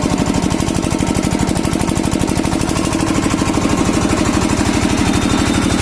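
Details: Kirloskar single-cylinder diesel after diesel filter replacement for a starting problem: a loud, steady thump of about three beats a second, even and unbroken; normal running.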